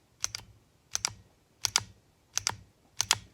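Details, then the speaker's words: Alchemy Custom 1911 9mm, no slide-to-frame movement; crisp paired metallic clicks about every 0.7 s as the slide is cycled, the barrel audibly unlocking out of battery each time, a tight, well-fitted, accurate action. "you can hear it clicking out of battery that's a good thing folks uh that means you've got a pretty accurate gun"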